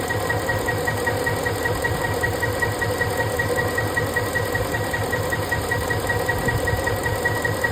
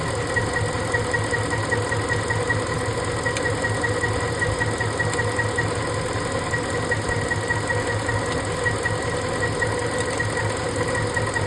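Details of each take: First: Ford 5.4 3V V8 idling steadily with an even low pulse and faint thin whine, after the cylinder 7 injector connector was unplugged and the injector slightly rotated while tracing a misfire; normal idle. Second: Ford 5.4 3V V8 with uneven idle, irregular stumble roughly every half second under a steady hum; cylinder misfire at idle, cause being traced around cylinder 7 injector, not confirmed.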